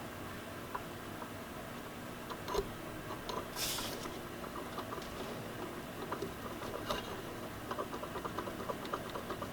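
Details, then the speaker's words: Nissan 240SX turbocharger shaft rocked by hand showing up-and-down and back-and-forth play; light irregular clicking knocks from worn shaft bearings, spins okay but turbo is done. "know if you guys can hear that smut light knocking this is up-and-down play side to side here is back and forth play looks like it spins okay but there should not be any back-and-forth play making this sound she's definitely done"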